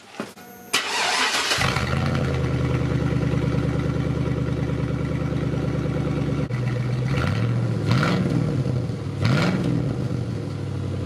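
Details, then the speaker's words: Pickup truck, cold start with the exhaust cut off upstream by the previous owner: catches after short crank, loud deep blatty idle with throttle blips; loud exhaust from cut-off pipe, custom exhaust later welded in. "I'd say that sounds rough so you know what's more work for me"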